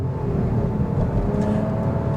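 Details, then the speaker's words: 2026 Nissan Rogue SV, turbocharged 1.5-liter three-cylinder, on the road under a short hard pull from inside the cabin: steady engine drone climbing smoothly over road noise, no knocks or slipping; normal acceleration. "There we go, above the speed limit by quite a few miles an hour. Not a ridiculous amount, but enough to say, you know what, when I need to get up to speed in the Rogue, it actually does a better job than one might expect."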